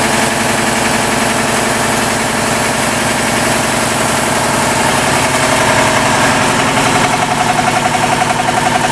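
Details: 40-year-old 25 hp American Kellogg 462 piston air compressor before overhaul: heavy, steady knock about four per second from rod knock on 3 of its 4 connecting rod bearings.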